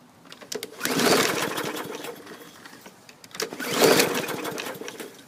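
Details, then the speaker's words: Bolens push mower (2014 or 2016 unit) given starting fluid: two rope pulls spin the engine briefly without any firing; unburned ether smelled at the exhaust. Cranks, no start; owner suspects the safety brake cable. "so okay it's filling the air with ether i can smell it unburned"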